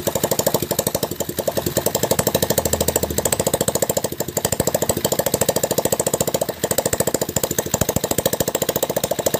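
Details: Hero Splendor single-cylinder after full engine rebuild, oil pump serviced and gasketed, clutch refitted, first start; crisp even putter about three and a half beats a second, no knocks. Normal idle.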